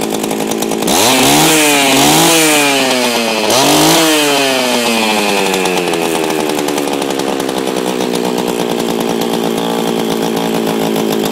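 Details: Old Oregon chainsaw with a Chinese engine, chain removed, run to use up the fuel for storage: it fires, revs crisply up and down twice, then drops to a steady, high buzzing idle; runs well.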